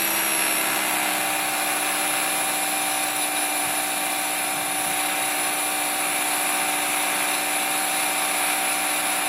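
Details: Trex 500 ESP RC helicopter on its first hover: steady, harsh electric whine with a buzzy, rough edge, bad vibration sounds of unknown cause.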